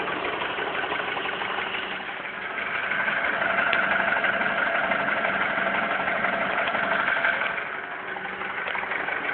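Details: Honda Accord with a K20 engine at idle: a fast, fairly even tapping about three times a second rides over the engine; an engine knock with the cause not identified.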